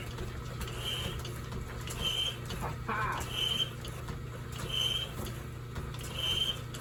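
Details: 1930s Excelsior 2A power hacksaw after restoration (cracked bull gear repaired, auto-lift fixed with shim), shop around -10°C: slow strokes about every 1.4 s with a light squeak over low hum; cuts evenly and lifts properly.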